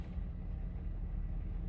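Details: 2006 Honda Accord 3.0 V6, after replacing fully worn spark plugs that caused cylinder 5 and 6 misfires: low, even idle rumble with no stumble or shake, now running smoothly.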